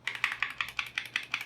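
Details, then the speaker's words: KBD75v3 keyboard with lubed, filmed Durock linear switches and Durock v2 stabilizers, foam between PCB and plate; a thin replacement space bar gives nine quick hollow, thin plastic clacks with slight rattle. "it sounds bad. It's like hollowy plastic, very thin plastic."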